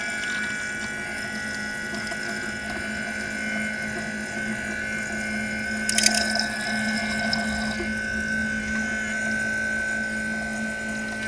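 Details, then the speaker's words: BMW E90 335i electric coolant pump running during the self-bleed procedure after adding antifreeze. A steady pump hum with a burst of gurgling and hiss midway as air bubbles pass through the coolant loop. Air in the cooling system. "you can hear the pump woring though there's some air"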